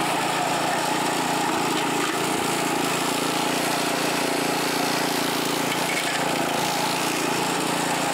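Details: California Trimmer mower, small single-cylinder engine, mowing dead grass after repair and carburetor fine-tuned an eighth to a quarter turn to stop surging; steady even buzz, no surging or hunting; running cleanly under load.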